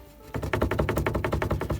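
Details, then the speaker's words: Renault Kangoo 2 with interior trim removed: the rear speaker bracket moves even with its bolt tight, giving a rapid, even run of sharp plastic clicks with no engine running, a loose speaker bracket rattle. "І коли ми зняли обшивку, там є кронштейн, який тримає динаміки задні. І він рухається, дребіжить."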